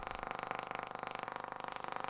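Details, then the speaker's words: Telefunken Operette 8 tube radio on first power-up, about 218 V, 200 mA, external long-wire antenna: rapid, even buzzing pulse about twenty ticks per second over the hiss, interference from a nearby Wi-Fi router. "okay we got something and that noise is from my Wi-Fi"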